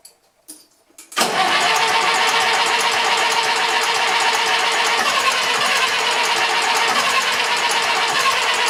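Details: Massey Ferguson 35 tractor with Standard 23C diesel, not started in at least a year, starting pump not fitted, started on starting fluid: a second of cranking, then an uneven clattering idle of about four beats a second; hard cold start.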